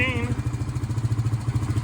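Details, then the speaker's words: Honda 350 ATV at idle: a quick, even, low putter with a steady rhythm and no misses or knocks. The owner says it runs perfectly with no smoke, even cold, and calls it a great-running machine. Normal running. "that thing is perfect in driving and running, not a drop of smoke, no cold smoke or anything."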